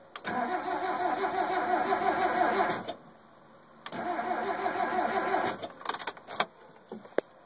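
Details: Mazda NA Miata: two starter bursts about two and a half seconds each, cranking roughly three beats a second, engine never catches; cranks, no start.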